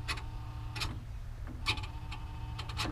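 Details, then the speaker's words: Bobcat 873G (AHC, metal controller) throwing 32-40 lift-handle error; lift-handle sensor reading about 1.06–1.07 V at low, 2.05 V neutral, 3.14 V max; tilt actuator ticks over a steady hydraulic hum, working normally; fault was a bad connector socket. "the low voltage about 106 107 and you can hear that the actuator running over there"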